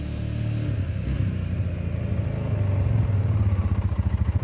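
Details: 2009 Polaris Sportsman 550 XP after a new shift bell crank (replacing the stripped one) during a test ride: a low, even engine rumble as it pulls away, with no clunks, grinding or squeals. It runs fine.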